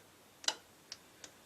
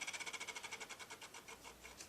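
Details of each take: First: Old B&O Beocentre 2200 cassette deck being tested with an old tape. Pressing rewind gives only a few sharp, uneven clicks with no motor or spooling sound: rewind is not engaging. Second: B&O Beocenter 2200 powered up, turntable tested without a cartridge: fast, even light ticking whir at a steady rate that fades slightly; platter turns and motor runs normally.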